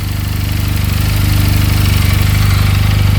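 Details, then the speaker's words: 2022 Benelli 302S motorcycle after a simple fix, just started, idling at 1700 rpm; steady, even low thumping idle with no knocks, ticks or rattles; top and bottom end sound good. "Idling at 1700 RPM. No knocking in the top end. Bottom end sounds good."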